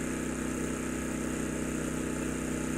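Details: Champion 200961 2500-watt dual-fuel inverter generator on propane, powering a camper's AC (about 1,000 W), refrigerator (about 300 W) and TV, owner estimates roughly 1,300 W: steady, even hum, constant pitch, no surging or knocking; normal running under load.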